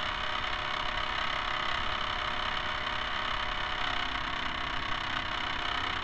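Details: Camera barge first test run with a two-axis gimbal on top. A steady, harsh rattling drone runs without a break over the motor, caused by the dog-bone motor-shaft couplers; they are to be replaced with flexible hose couplers.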